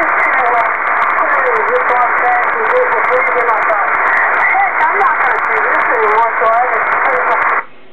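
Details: Kenwood TS-2000 receiving on HF with noise on all bands. A loud, steady hiss fills the audio band with faint warbling voices underneath; signals must be S9 or better to be readable. HF band noise interference.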